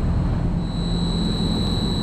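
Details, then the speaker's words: LG Multi V IV after compressor and inverter board replacement for CH29 error, proper charge, line cold, no error codes, condenser fan not running: steady low hum with constant thin inverter whine, no knocks; compressor running smoothly. "All right, compressor is running, got proper charge. That line is cold, that's good."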